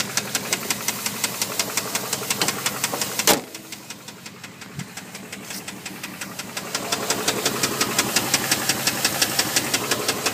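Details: Dodge Durango 4.7 with a rod knock on cylinder 2; a sharp, regular knock of about three beats a second runs through the engine, swelling as revs rise.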